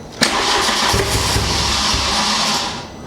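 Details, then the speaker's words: MK2 Golf GTI converted to 1.8 turbo engine on converted wiring loom, jump-started: starter whirs, engine catches briefly with ragged coughing then dies without running; a pipe trying to come off, fuel smell, cranked without throttle. "Right, jump's gone. [snorts] Oh my god, that's spluted then. That is crazy."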